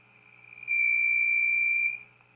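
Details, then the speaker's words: Zenith Z402Y AC/DC/battery radio after rewiring with the bottom back on: steady high whistle for about a second, amplifier feedback howl; suspected from wires routed under the chassis, which may need rerouting back on top. "like feedback to me yeah I might have to reroute those wires may not be able to have them under the chassis for that reason probably why they were up on top to begin with"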